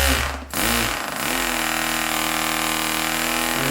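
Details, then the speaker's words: StirlingKit RW-BL1K live steam engine model kit, newly assembled, test-run on compressed air given sparingly: rapid, even chuffing climbs in pitch as the air opens, then holds steady with no knocks or misses; normal smooth running. "And that's pretty cool, isn't it? That sounds beautiful."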